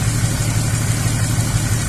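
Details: 2004 Chevrolet Epica, transverse inline six with coil-on-plug, scan tool reporting a misfire, believed to be on cylinder 5. Rough, uneven idle, the beat stumbling every few firings. Misfire traced to a mechanical low-compression problem on one cylinder, not ignition.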